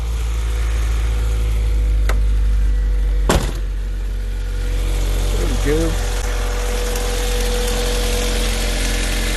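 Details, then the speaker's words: 1988 Honda Accord at idle after rebuilt 1992 GSR cable transmission installed, first start in a while: low steady idle hum with even beat and stray handling clicks; sounds a lot better. "to burp the coolant lines or not cool in line but that's about it shiny sounds a lot better"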